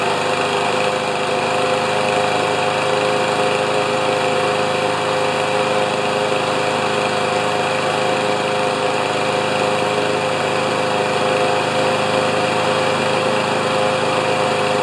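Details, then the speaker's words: Older Honda mower after oil leak repair, started on choke, full throttle, target over 3100–3200 rpm, reading about 3160: steady, even high-pitched drone with no hunting or surging, governor holding speed, healthy. "I'm gonna start it and we'll just check the RPMs if they're over 31 to 3200 I'll be a happy camper"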